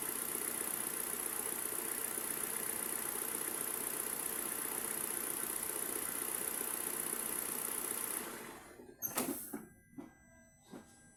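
Even, steady idle with a faint high hiss and no stumble or hunting, then the engine shuts off; the idle sounds settled.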